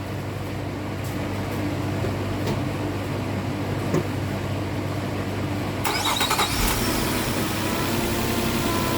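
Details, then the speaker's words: Nissan Maxima petrol V6 on first start after misfire repair idles smoothly and evenly, misfire gone; a brief clicking burst is the AC clutch engaging despite no Freon in the system. "This car is running excellent. That issue's fixed."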